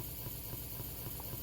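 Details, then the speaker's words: Central AC unit with compressor running outside but no air inside, recorded at the indoor unit: low steady electrical hum with faint pulsing and no spin-up; the blower motor tries to start but fails, due to a bad capacitor. "you hear that humming noise is trying to kick in but he's having trouble to do so the AC is still turned on"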